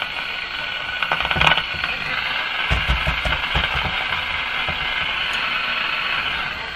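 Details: Mohawk Model 1240 five-tube AM radio after replacing the AVC capacitor, tuning stations around 590, 640 and 680; stations come through clearly over light static, with reception much improved; normal AM station reception.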